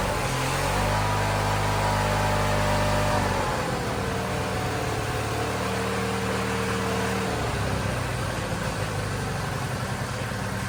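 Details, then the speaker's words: Wheel Horse GT-1600 WorkHorse garden tractor, Briggs single-cylinder petrol engine, weathered and long-sitting, first start at full throttle after ether: fires, revs briefly, settles to a steady even idle with no misses; normal running. "he's the runner not bad look at that got ourselves a runner that's pretty impressive"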